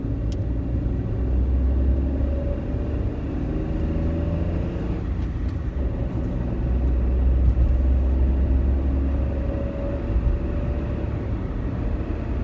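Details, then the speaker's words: Peugeot 107 driver-side front wheel bearing after replacement, driving at speed: steady low road rumble, no rising drone or growl; previous bearing noise at speed gone, quiet. "you're driving down the road is gone it's quiet it's beautiful it sounds like a different car"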